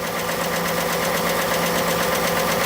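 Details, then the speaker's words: 2018 Ford F150 XLT 4x4 5.0 Coyote V8, sold as bad engine, 1,435 miles on trip data: fast, light tapping over the idle keeping time with engine speed; upper-end tick, owner rules out high-pressure fuel pump, unsure if injectors. "To me, it sounds like an upper end tick, like a top end. It's not. I don't know. Could that be injectors?"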